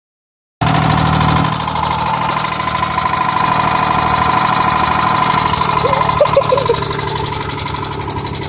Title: Terrible rod knock